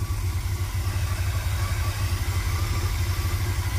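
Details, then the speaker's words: 1980s Chevy K30 dually 4x4 dump truck, long parked, just started on old fuel; steady low idle with slightly uneven beat, no knocks or squeals, no smoke; dripping fuel leak and vacuum leaks noted; rough idle. "got a little field leak right there it's dripping the fuel leak vacuum leak so she's running fired up pretty good I don't see any smoke no engine noise oh man she sounds good"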